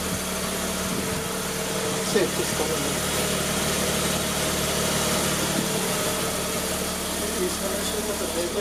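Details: Mazda RX-8 rotary, first start after engine rebuild and reinstall; steady, even idle with a smooth buzzy drone, no knocks or misses; the engine sounds healthy and settled, with no check engine light.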